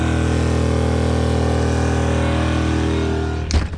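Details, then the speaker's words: Small Duromax 2000 W inverter generator running on propane, after sawdust was cleaned from its intake and an EasyStart 364 was fitted to the Coleman Mach 15k AC: steady, even hum under the AC load with no surging. It runs properly and the AC blows cold. "on the propane it started up and it's blowing nice and cold and working great so that was the issue"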